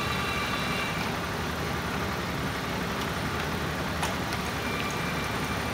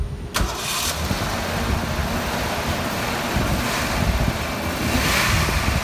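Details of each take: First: 1987 Ford Ranger after TFI no-spark repair and fuel pump wiring fix, idling in neutral: steady even idle with no misses, knocks or surging; running smoothly. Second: 1987 Ford Ranger, 2.9L six-cylinder, manual, 94,000 miles, after a no-spark repair with a new TFI module: brief crank, then it catches into an uneven, lumpy idle; the rough running is from vacuum lines left open.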